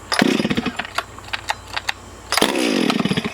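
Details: Stihl MS440 chainsaw with no decompression valve, good compression, owner suspects a possible air leak, test run before port work: two sharp pull-starts catching into a crisp buzzing rev that falls back; fires readily, normal health.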